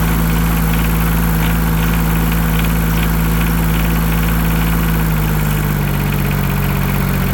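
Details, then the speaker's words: Yanmar 3TNV70 diesel in a Cat 300.9 excavator, after new injectors and glow plugs: a steady low idle with a soft, even clatter and no sharp knock, much quieter than before, though it still smokes. Normal idle. "Much quieter."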